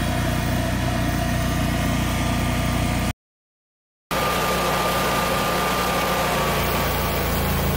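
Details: Generac 22kW gas generator on a simulated power failure with the water heater as load. The engine drone wavers unevenly, sagging and recovering as the overloaded generator hunts for speed. The owner first blamed the gas regulators for fuel starvation, but that was wrong; it later latched error 1600, underspeed.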